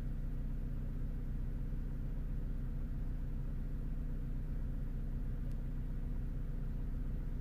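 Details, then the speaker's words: Vauxhall/Opel Astra H 1.8, cold start after fixing a lean condition (P0170): a deep, even, steady idle with no misses or surges. Fuel trim now reads about minus 10 instead of maxing at 25, and the engine idles smoothly. "he's running absolutely perfect guys no checks no"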